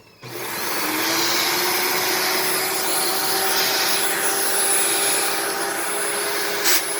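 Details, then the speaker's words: Dyson DC18 Slim All Floors vacuum, made December 2006: steady roar with a thin constant high whistle. Owner suspects cyclone shroud holes plugged with cat litter rather than the motor, and plans to clean the cyclone assembly. "I think it's just making that noise because the some of the shroud holes are plugged with cat litter I could be wrong though but I don't think that's the motor"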